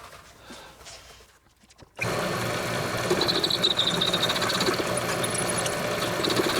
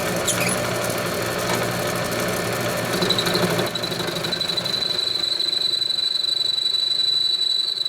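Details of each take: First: Homemade lathe with new headstock bearings and spindle, turning round stock: spins up to steady even hum with light high ringing, no grinding or knocking. Normal running. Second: Homemade all-steel lathe after new headstock bearings and spindle, turning round stock: high steady ring near four kilohertz builds and holds during the cut; chatter ringing, absent on face cuts.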